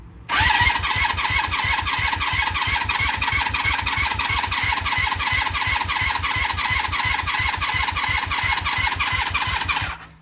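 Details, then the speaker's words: 1996 Honda Magna 750 (VF750C) after a coolant refill, possibly flooded earlier; steady starter whirring for about ten seconds with no firing; no fuel leaking from the carbs now; owner considers checking the spark plugs. "Not happening. Not firing yet, which we should be firing now."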